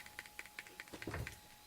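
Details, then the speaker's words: Lollipop MP3 player in earbuds with volume turned all the way down: faint sharp ticks about five a second over near silence, gone when paused, mainly at start and stop before the music takes over; unwanted clicking. "I've turned it all the way down and I hear kind of a weird clicking. If I pause it, I don't hear the clicking, so that's good."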